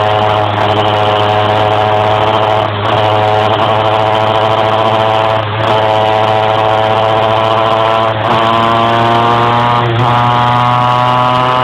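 Steady engine drone with a brief sag in pitch every two to three seconds, as if it stumbles while trying to pull higher revs.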